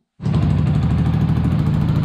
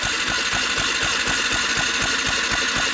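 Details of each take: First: Yamaha MT 125 single-cylinder, revived after a crash, running on a makeshift cooling setup without its proper radiator, putters at a steady, even idle with a low regular beat, no knocks or misses; normal idle before warm-up. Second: Yamaha MT 125 motorcycle being revived after a fatal crash, fuel pump heard priming, spark plug out for testing: starter spins the engine in steady pulses, about four a second, but it never fires; cranks with no spark, fuses checked next.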